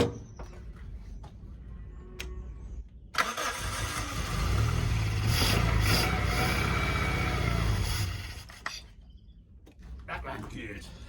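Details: 1991 Suzuki Swift 1.6 AWD five-door saloon, carburettor, project car being revived with fresh fuel added: cranks, fires and holds a low fairly even idle about five seconds, then fades and dies; fuel starvation suspected, not confirmed.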